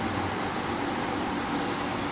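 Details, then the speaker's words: GE Profile window air conditioner, curb find, fan on high: only steady even fan rush, no compressor hum; compressor not starting, owner suspects control board, later it started. "Yeah. No compressor. Still has a problem."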